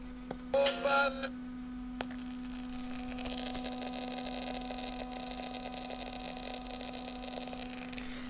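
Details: Becker Europa MU MO 812 car radio from a vintage Volkswagen: a steady mains hum, then hiss with scattered crackles and pops through the speaker. Cracked solder joints were found at the output transistors; a noisy transistor is suspected, and water was first blamed.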